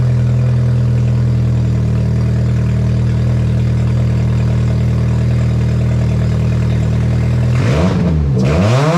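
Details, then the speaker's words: Astra with the exhaust manifold reinstalled on new hardware and the downpipe still disconnected, started to check timing: a loud, raw unmuffled idle with a deep drone, then a sharp higher-pitched rev. Some smoke from oil burning off. "so with the downpipe still disconnected down there we're gonna fire it up real quick just to make sure the timing is okay"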